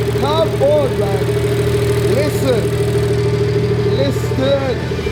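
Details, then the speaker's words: BMW 118i with a B58/M140i engine conversion, on its first run after the swap: a steady, even idle with a smooth low hum and no knocks, misses or ticks, a normal healthy idle. "oh my God she lives lives [Music] lights are working [Music] Wow Come on sounds nice"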